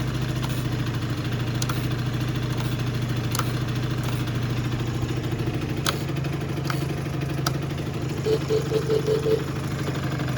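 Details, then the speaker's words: Yamaha Jog two-stroke scooter on an about-85 main jet, tuned for the stock airbox before the pod filter is fitted: a steady, buzzy idle with a few light throttle blips, running smoothly. "So once the pod filter gets here, we'll tune for that, but this thing runs great. Start it up."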